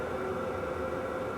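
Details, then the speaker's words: Wippro 8kW all-in-one diesel heater from Temu, running about 5 minutes on high with a duct extension hose, outlet around 176°: steady even fan rush with soft constant hum, no ticking or surging; running smoothly and healthy. "ood and obviously this is on high so the fan noise is a little loud but it's nothing crazy especially for how much heat you're getting"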